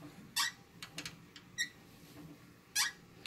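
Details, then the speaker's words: Matrix E50 elliptical in use: sharp, high-pitched squeaks in uneven bursts about once a second; the owner shows where it squeaks, but the source is not pinned down. "know like I say it's it's still kind of usable squeak squeaking can hear the loudness event okay think it's still usable"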